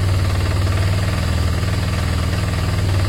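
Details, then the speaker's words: Motorcycle that likely hasn't run in a long time: the idle surges and sags with no throttle input, with a rough, knock-like thumping. The owner suspects bigger problems. Hunting idle. "it'll drop down in a minute and then it'll go back up so obviously there's something else going on there there's bigger problems on this one"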